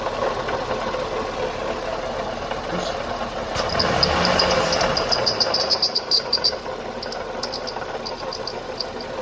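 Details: Toyota Highlander at idle: a thin, high whistle rises and falls over a steady idle, from a leaking, failing water pump bearing.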